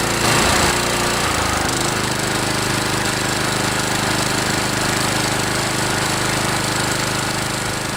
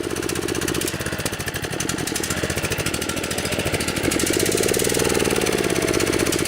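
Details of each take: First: DR Trimmer TR-1 with Kawasaki FC150V 6.75 hp engine, after carburetor cleaning (plugged main jet, float needle) following long storage: warmed up and revved, small engine buzzes fast and steady with no misses or surging; running healthy. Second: DR TR-1 trimmer, 6.75 hp Kawasaki FC150V engine after long storage, gummed carburetor: ragged, uneven chugging that idles but barely picks up when opened, then sags back; lean running and won't rev, suspected plugged main jet.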